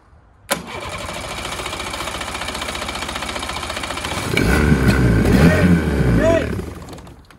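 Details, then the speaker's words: Mariner 30hp outboard, long abandoned, cranked with the airbox off after brake cleaner was sprayed into the carb. Even cranking, then a rough spell that never runs; spark was good and it fired on ether, so blocked carb jets from sitting are suspected. "we had a good spark it was firing sort of on a bit of ether there and us we actually both decided it's probably blocked jets where it's been sat for so long"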